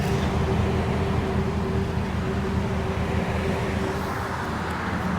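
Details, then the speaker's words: 2010 Ford SVT Raptor, 6.2L V8, 118k miles, idling: steady, smooth low rumble with no ticking, knocking, misses or smoke; no weird sounds, normal idle. "no smoke no nothing no weird sounds just perfect"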